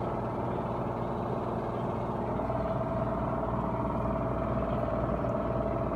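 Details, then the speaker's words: Whirlpool Duet front-loading washer on high-speed spin, door locked, top speed about 1150 rpm, slower than an LG; steady, even whirring hum with a faint high whine, no thumps or knocks, drum spinning smoothly, normal high-speed spin. "i think that's yep that's top speed i think about around 11 um eleven hundred and uh i think eleven hundred and fifty rpms something like that that's really fast not as fast as the lg"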